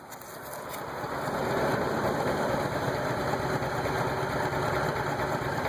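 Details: Petrol car with a rough idle and poor acceleration: engine note wavering with an irregular, lumpy pulse. Air hoses checked tight; owner suspects the MAF, unconfirmed.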